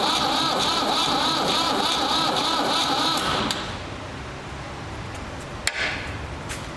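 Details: Ford 3600 diesel tractor with rebuilt CAV injection pump, bleeding injectors: starter turns the engine about four beats a second for several seconds without catching, little fuel reaching the injectors; crank no start from seized injection pump plungers.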